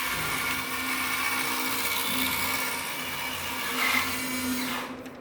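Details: SG Pinecone Forest 2402 1:24 RTR RC car, about 1.5 months old, driving forward: high raspy whir with a gritty grinding edge from the central gearbox assembly with heavy vibration, much worse than in reverse.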